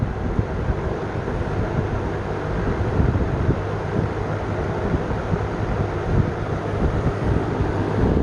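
A steady, even low whoosh of air with a soft hum underneath and no ticking or rattle, the fan running smoothly on low.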